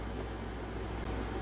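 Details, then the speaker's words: Original PlayStation 4 that would not power on, after a power supply was fitted: steady low hum and soft fan whoosh with a brief dip near one second; powers up and runs evenly, so the power supply was the fault. "it's working so this PlayStation needed a power supply"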